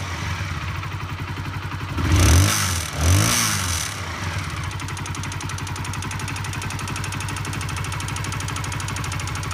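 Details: Honda CBR125R single-cylinder idles with a fast metallic rattle, then two quick revs, heard while riding home. The engine was stripped and a fractured gudgeon (piston) pin was found; the garage suggested over-revving as a possible cause.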